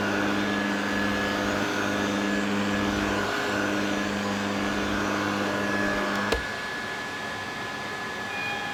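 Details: Refurbished Electrolux Z504 vacuum cleaner, running after refurbishment with its facelift back on; smooth, steady motor hum with a clean high whine at constant pitch, then a click and a slight drop; normal running.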